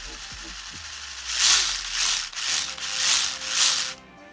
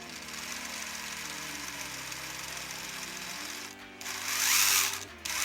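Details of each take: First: Axial Capra RC crawler in four-wheel drive, after loosening too-tight pinion gear mesh and setting DIG endpoints: short bursts of light even gear whirr, no clicking; transmission now quiet. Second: Axial Capra RC crawler after setting the endpoints on the DIG unit, which cured its transmission clicking. Electric motor hum with a faint gear whine and bursts of drive noise, no clicking; gear mesh possibly slightly tight: tight gear mesh whine.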